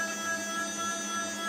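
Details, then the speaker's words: Spindle rotation stepper motor on a repaired hybrid power module driver, pulsed from a signal generator: steady, even whine without grit, versus very crunchy before repair; smooth stepper rotation. "I'll just put it back in its normal micro-stepping mode. So that's giving a nice smooth, even sounding rotation."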